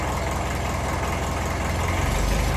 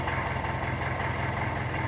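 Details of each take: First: 1954 Ferguson 20 TEF diesel tractor, cold start on a cold evening with heater plug: low chug drifting slightly up and down before settling, mild cold idle hunting, considered fairly normal when cold. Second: 1954 Ferguson 20 TEF diesel tractor, cold, not yet warmed up: low steady chug at idle, even beat, no obvious hunting; governor now holds it, improved.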